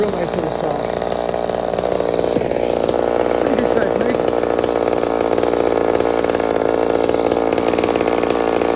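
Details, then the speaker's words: Small Homelite chainsaw, described as 28 full house on a stock chain, cutting wood: a high, steady two-stroke scream holds full revs under load, even and clean with no bogging. Normal cutting; healthy saw. "beautiful size of wood for that saw right now 28 full house stock chain so it's got way more potential to cut way faster"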